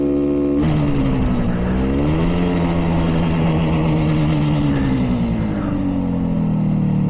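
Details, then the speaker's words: 1967 Yamaha YR1 two-stroke street bike, 58 years old, first ride after revival and a gas leak fix: buzzy note rising and falling with throttle but uneven and flat, pulling weakly like a lawnmower at low speed; low power. "sounds like a lawnmower when I'm going low, slow."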